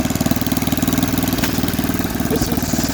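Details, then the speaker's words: Snapper 8 hp 26-inch snowblower, first run with a mangled pull cord, auger working: a steady single-cylinder putter at about three firings a second, a little rough; normal running, fairly healthy. "okay that's fine that's a fairly healthy sound and engine"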